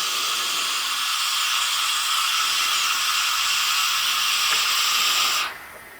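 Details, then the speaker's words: Foden steam wagon injector steam valve off the manifold, bench air-tested at about 15 psi before lapping: constant sharp hiss for about five seconds, cut off when the air is removed. Leak past the valve and seat, with no cracks found. "the valve in the seat didn't look that bad but there's no else it can be leaking past really nowhere at all there's no cracks or nothing in there"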